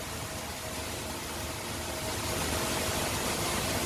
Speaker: You can hear that the pumps are really pushing water now. There's water moving very quickly throughout all of this plumbing.